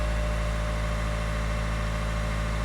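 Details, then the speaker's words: 2019 Citroen Berlingo 1.5 HDI diesel, after contaminated fuel and damaged fuel pump caused code P008B; steady, even diesel clatter with a smooth low hum, no misses or knocks, running over a minute with no warning lights. Normal idle after fix. "no engine management light no service light so uh I think it's good to say that this one is fixed"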